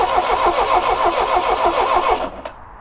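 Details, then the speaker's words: 1977 Triumph Dolomite, not run in years, after fitting a replacement starter: steady even cranking at about three compression beats a second, then stops cleanly; normal cranking. "then I just had to hope that none of the hotel guests had decided to take an early night because it was time to push the red button and see if all of this faf had actually paid off and this starter spins the engine"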